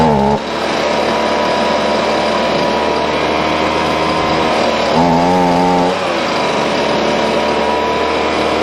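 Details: Husqvarna 125BV leaf blower after clearing a blocked fuel passage in the carb and fitting a new filter. A steady buzz whose revs briefly rise and settle back smoothly, with no sputter or hunting: normal running.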